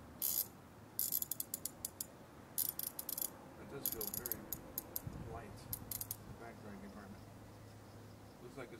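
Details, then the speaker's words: Ko-ken 3776N Rotohead ratchet: bursts of fast, sharp dry clicks on each back-swing; loud, clicky pawl that owner thinks could use grease. "Kind of noisy. I don't know if you can hear that. It's kind of loud. Clicky."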